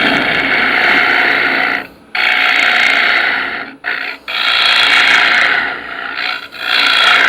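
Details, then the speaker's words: Wood lathe turning a sphere: hissing tool cut with a faint rapid chirping vibration about four times a second, indicating a crack somewhere in the workpiece. "Do you hear the little chirping vibration type noise? That tells me there's a crack in here somewhere."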